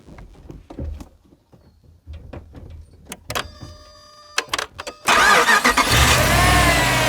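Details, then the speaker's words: Lifted Jeep Limited, just back running after months of repairs, recorded with the camera set up to hear the engine start: a few clicks, then a quick clean crank and catch into a steady, even idle with no odd noises. "Let's start this engine. I'll set the camera up right here so you can hear the engine start."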